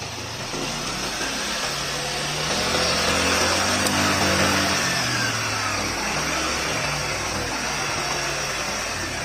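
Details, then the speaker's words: Yamaha NMAX injected scooter at about 7,000 km, after cleaning the fuel pump filter: engine catches, rises briefly, then settles into a steady, even idle without sputtering; running normally again. "oke teman-teman semuanya Alhamdulillah ini setelah kita melakukan pembersihan di bagian film dan alhamdulillah hasilnya sudah normal kembali"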